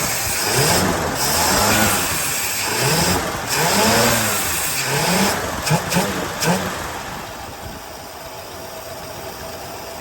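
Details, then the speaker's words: 1961 DeSoto big-block V8 with a Stromberg WWC two-barrel carburetor, first revival after sitting for decades, no coolant: uneven, loping idle with wavering revs; it revs better but is suspected not to be firing on all eight. "But does it rev better? Yes, it does. There's a horrible dust cloud. Still don't think it's idling on eight, though."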